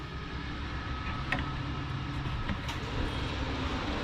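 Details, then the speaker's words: 2022 Catalina Summit 184FQS travel trailer furnace, below the cooktop, kicked on from the thermostat: steady low hum with a faint constant tone, no rattle or scrape; normal blower, which runs a couple minutes after shutoff. "Now you notice when I shut that off, it's going to take a couple minutes for that fan to cycle through before it actually shuts off."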